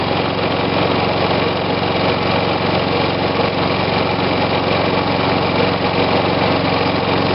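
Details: Refurbished Snapper push mower with a Briggs engine dated December 1987 and a new air cleaner, started with choke: an even, continuous buzzing putter at one speed with no misses or knocks, running normally.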